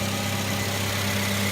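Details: 2009 Suzuki SX4 2.0 L with A/C after replacing the serpentine belt tensioner pulley and belt; steady, even idle with a smooth low hum, no chirp, squeal or ticking from the belt drive: normal idle.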